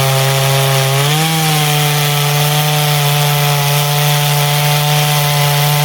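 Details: Poulan 5200 chainsaw, being cleaned up with new fuel line planned, test cut in wood: high steady two-stroke scream dipping briefly as it bites, then recovering and holding; strong, healthy saw cutting cleanly.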